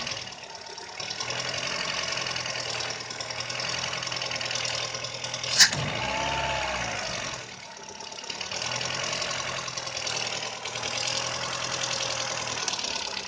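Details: VW Polo 6N idle hunts and wavers in loudness, uneven and lumpy with a sharp click midway; rough idle the owner could not solve, cause not pinned down.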